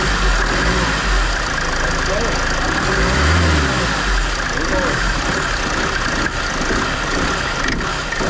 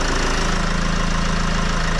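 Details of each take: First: Mercedes Vito W639 van idling: the A/C compressor pulley rattles loudly and loosely because its rubber dampers are broken. The fix is removing the compressor and replacing the pulley. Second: Mercedes Vito W639 diesel at idle after the clattering AC compressor pulley was replaced with a damped pulley: steady, low, even thrum, rattle gone, a new hum noticed, likely normal idle.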